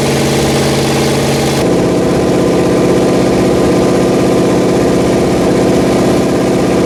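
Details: Rebuilt Pontiac 400 V8 from a 1979 Trans Am on a homemade run stand, second flat tappet cam break-in after the first cam failed: steady, even fast idle with no ticking or knocking; sounds healthy.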